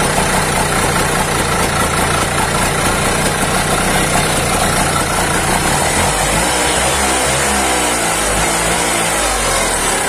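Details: Auto rickshaw two-stroke with a racing problem, after the carburettor piston was cleaned and refitted: steady buzz holding an even idle without surging or racing; idles correctly.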